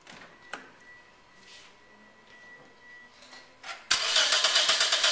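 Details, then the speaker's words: Engine cranked by the starter during a manual-gauge compression test, fuel and ignition disabled, throttle held wide open: quick, even chug at steady pace; cylinder reads 150 psi, a good number. Normal cranking. "go ahead crank the engine over in the process I want to hold the throttle wide open and crank it over long enough to get a peak reading"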